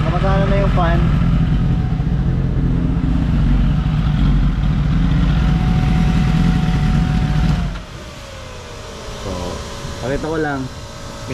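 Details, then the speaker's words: Kawasaki ZX-10R with new lithium battery, hot at 100° with the radiator fan on: it starts easily and idles steadily and evenly for about eight seconds, then cuts, leaving a soft fan whir. Owner earlier suspected the starter. "Habang gumagana yung fan, i-start ko. Walang problema. Madali siya nag-start."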